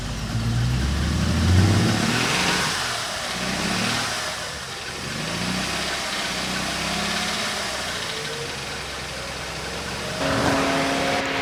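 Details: Car long barely driven and just revived, mic placed at the car: catches, settles into steady idle, revs up and drops back cleanly with no misses; normal start and rev, running properly again.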